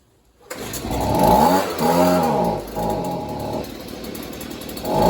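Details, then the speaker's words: Stihl two-stroke leaf blower (neighbor couldn't get it running right), running only on choke: revs surge up and sag every second or so and fade out, can't hold speed or take throttle; engine itself believed fine, cause not confirmed. "oh all right so you play with the chocolate bunch it will run but you can't take the troll bar it's not gonna work"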